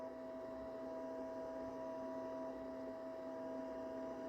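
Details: Vintage PC at power-on, hard drive suspected stuck, CMOS errors shown: faint, constant hum with two steady tones, no spin-up whir or seek clicks; steady hum at power-on, drive possibly not spinning up.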